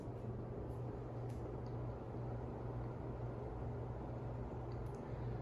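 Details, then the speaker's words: 1937 Emerson 86641 two-speed antique ceiling fan, 8.5 µF capacitor for low speed, on high: smooth steady low hum with even airflow whoosh, no ticking, rubbing or wobble; quiet, powerful, normal running. "Very smooth, quiet, and powerful. And it is reversible."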